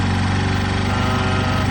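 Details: Warmed-up 2005 Honda Lead SCV100 CVT scooter idling with a fast, busy, steady buzz and no dip; idle speed is too high and is being turned down at the carburettor idle screw.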